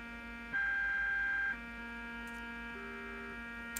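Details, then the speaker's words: Fluke 6060B RF signal generator on the bench with modulation off: a steady mid-pitched buzzing hum on the audio output that briefly jumps louder. A power-supply fault is suspected but not confirmed. "so there's a big buzzing sound coming through the audio which is interesting"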